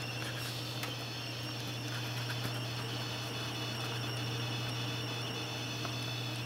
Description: This is how my friends AX1200 sounded during load when he first got it.